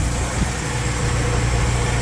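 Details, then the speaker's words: Car after swapping in a used water pump from the old engine to fix a coolant leak, covers left off: steady even low idle rumble, no ticking, knocking or squeal; no leak, timing good, runs healthy. "The car is started. No leakage. Like it was before, not leaking. Timing is good. Everything sounds great."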